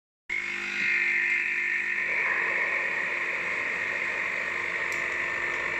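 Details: Philips 5360/10 espresso machine: steady, high, piercing whine over a low hum, holding even throughout; abnormal noise, cause unknown.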